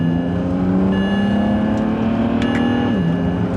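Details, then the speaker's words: BMW E92 335i under acceleration after misfire repair work; the check engine light came back on at initial takeoff, yet the engine note climbs smoothly and drops cleanly at the upshift with no stumble, giving consistent, healthy power. "but you guys can see that the power is consistent everything feels amazing about it"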